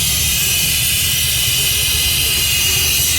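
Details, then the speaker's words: Ford van idling after transmission job: loud steady hiss over low engine rumble from a vacuum leak; a loose part had fallen and was hitting the fan, needs repair. "There's a vacuum leak right here. And what happened is this thing was hitting against the fan making a noise like that."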